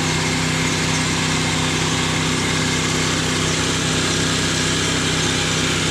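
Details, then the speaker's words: Loud, raspy, even drone with a hissy edge at steady engine speed on a treta mini; the exhaust pipe is blown and is to be replaced by the mechanic. "soalanya berisik sekali ya teman-teman karena ada kuningnya itu"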